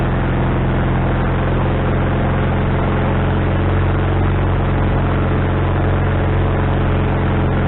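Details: Wood-Mizer LT40HD sawmill engine just started after fitting a new carburetor, bowl having drained overnight: steady, fast, even drone that never drops back; idle stuck high, owner suspects the governor linkage is in the wrong hole.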